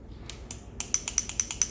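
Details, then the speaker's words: Jaguar AJ200P cam adjuster, removed at 140k km after the car came in rattling, shaken by hand: sharp light metallic clicks about eight per second. Lock pin is loose inside because its spring is broken. "you can hear the pin inside because there's no spring like I said I put back again the spring in the pad what's left of it"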